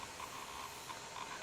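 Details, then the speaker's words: Toshiba Tecra 8000/8100 laptop with the speakers at full volume: a steady, even hiss like escaping air, constant with no tone behind it; speaker hiss. "See what that sounds like. You can hear it hissing."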